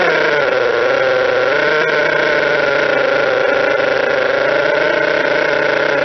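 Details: Model twin rotary engine after fixing gear noise (stator gear mesh, bad crank and housing, plates 0.005 mm out, reskimmed and shimmed); smooth high-pitched steady hum, no knocking or gear rattle, runs quietly.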